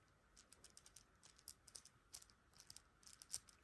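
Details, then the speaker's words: HSP brushless RC buggy's old differential turned by hand gives light, uneven, notchy clicking and ticking, loose with excess play. The gears are worn, clearly worse than the tighter replacement fitted. "It's hard to compare them, but when they were both out, yeah, this one was definitely worse. The other one, the one that's in there, is a lot tighter."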